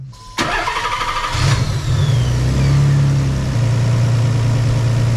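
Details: Nissan 300ZX with VG turbo swap, restarted after ignition timing was set at 15° to recheck it: short crank, catches quickly and settles into a steady, even low idle with no misses or knocks. Runs healthy.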